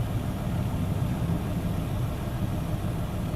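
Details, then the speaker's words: 2005 BMW M5, S85 V10 at idle: deep rumble with a slightly uneven, lumpy roughness. Misfire on one cylinder with the engine light on, though the ECU has not yet cut that cylinder; injectors, plugs and coils are next to be checked. "right so the cylinder is not cutting off you can feel early did offer a roughness on the engine it doesn't seem to be run as you should but he's not cutting the engine yet the cylinder but the engine light is on as you can see the back so that means that"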